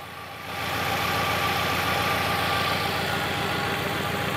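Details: Fiat Palio with a misfire that first appeared when cold: steady idle with an uneven, lumpy beat about three or four times a second; an oscilloscope test found no spark on cylinder 3, pointing to a failed ignition coil.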